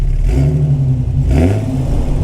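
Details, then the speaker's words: Jeep XJ with rebuilt 4.0L inline-six and Comp Cams Xtreme 4x4 cam, now with some miles on it; deep, steady engine note with even low rumble and slight rev swell, no knocks or ticks; normal running. "I think it sounds good now that it's got some miles on it you can kind of hear it"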